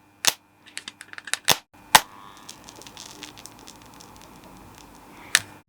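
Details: Homemade handheld spot welder built from microwave parts, welding two washers: sharp, irregular snaps and crackles with quiet buzzing between them, arcing as it should while joining the pieces; working normally.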